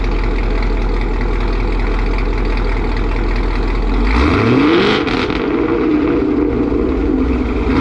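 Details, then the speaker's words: 2018 Chevrolet Camaro ZL1, LT4 supercharged, with long-tube headers, after fixing a header gasket exhaust leak that ticked: loud, steady idle rumble while warming, then quick clean revs, no ticking or puffing; exhaust sealed and healthy. "yeah that's the sound at idle we let it warm up a little bit give it a few little revs it is abnoxious just crazy"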